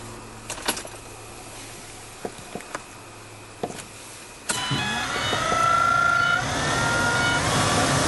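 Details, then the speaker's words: 2010 Ford Transit van heater/AC blower motor after reinstalling and tightening, all fan speeds tested: a few light clicks, then a smooth even whoosh with steady tone, no buzz or rattle; blower healthy and quiet. "and all the fan speeds work nice and quiet this sounds good"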